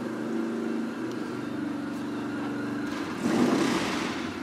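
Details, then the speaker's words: Japanese motorcycle started after fitting homemade ignition coil brackets: uneven, lumpy idle with a brief rev blip. It runs but doesn't sound healthy; the cause is unclear. "Doesn't sound too healthy. It sounds like you at least got it started."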